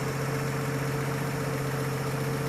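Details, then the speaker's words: 1950 Chevy 3600 truck six-cylinder started cold, no choke, after new radiator hoses and coolant, thermostat not yet open: smooth, even idle with steady low hum, no knocks or misses; engine running clean and healthy. "God, it just runs so good. That's no choke, no nothing."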